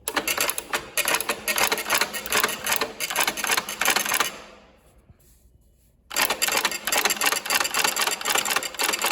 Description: This machine has recently undergone a deep clean, which has enable us to run it again.